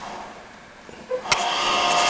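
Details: Radio Shack TRS-80 Model 16 vintage computer, first power-on after storage: switch click then steady rising whir as fan and floppy drive spin up evenly, prompts for a disk; normal power-on spin-up.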